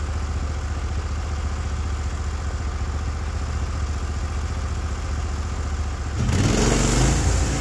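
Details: Norwood HD36v2 bandsaw mill, day two testing new roller guides (ceramics replaced), slabbing big black oak through bark, 1.5-inch slabs, about 24 inches wide: steady engine drone pulling evenly, brief louder rise near the end; effortless flat cut, motor loaded normally.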